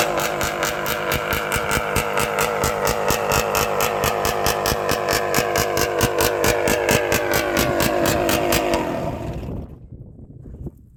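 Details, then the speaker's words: 1972 Suzuki TM250J two-stroke ridden after repairs for hard starting and not staying running: crisp, rapid crackle, even firing under load as it pulls hard, then backs off and fades; strong, surprisingly powerful, running healthy. "I gave you a little bit of taste. The power is incredible. It's really surprising."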